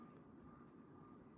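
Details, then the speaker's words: 1989 Homestead Chippendale 56-inch ceiling fan, new-old-stock after 30 years boxed, on high speed: steady motor hum with a faint whine, bearings silent; normal running. "I can definitely hear that motor. Bearings are dead silent, though."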